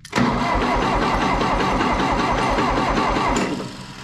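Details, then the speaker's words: 1960 John Deere 1010 diesel tractor after an engine rebuild, glow plugged and primed, cranked off a jump pack: even but sluggish cranking, about 3.5 turns a second, fading without firing. Too slow to start. "it's spinning too slow you got to be kidding me that thing would start if it would spin fast"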